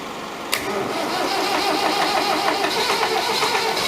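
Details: David Brown 1490 tractor, first start after an engine rebuild: the diesel fires, then settles into a rough, clattery beat about four per second; owner suspects a fuel injection knock and has sent the injectors for reconditioning.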